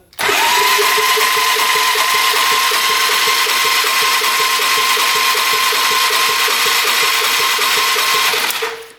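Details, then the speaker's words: 1997 Polaris Magnum 425 6x6 ATV cranking, throttle open, after oil added to cylinder: still zero compression, so not rings; high starter whine, light even beats; owner suspects bent valve unless valves extremely tight; one valve later found tight. "NADA so unless the valves are extremely tight I think we've got a bent valve"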